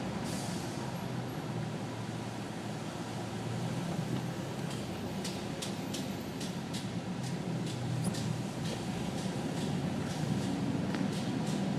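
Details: Nissan Titan truck on ramps makes light, sharp clicks about twice a second over a low rumble; the cause is worn emergency/parking brake shoes, and replacing the shoes stopped the clicking.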